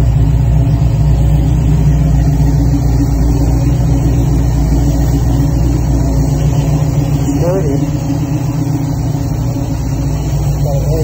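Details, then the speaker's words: 1966 Mustang Fastback GT with a new Ford Racing BOSS 347ci crate engine (415 hp), idling warm (fan on at about 140) with about 40 psi oil pressure, 50 when revved: fast knocking over the V8 idle; a shop removed the valve covers, found nothing and suspects an internal fault. "Runs beautiful. Except for that knocking. Hopefully they will fix it."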